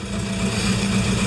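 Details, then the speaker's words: Crosley engine, dead cold, after starter repair: steady, even low-hum idle with no clanks or grinding. Before the fix the starter would grind, spin or clank. Normal idle. "That is a huge difference from what was happening before."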